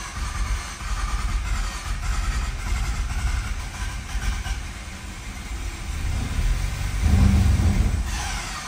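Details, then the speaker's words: 2011 Mazda RX-8, 1.3 L naturally aspirated rotary, low compression; long ragged cranking with a brief louder stumble as it nearly fires; badly flooded, no start. "Come on, you piece of rotary. This thing's flooded so bad. Come on, baby, go!"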